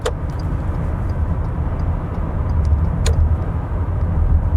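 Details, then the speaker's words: Lexus ES350 with 275,000 miles at road speed with the sunroof open: heavy low cabin rumble and rushing air, as loud as an open window, quiet when closed; worn sunroof seal. "Like right now, I have this open. I hear all kinds of wind noise. When I close it, it gets very quiet. I open it again. It almost feels like a window is open. That's how it feels like. The sunroof seal is worn out."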